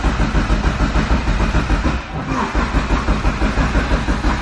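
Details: Turbo B16 EF Civic on the existing tune, not started in a while; steady cranking about three beats a second with no firing; owner suspects distributor keyway set 180 degrees off after reassembly, timing way off; crank no-start.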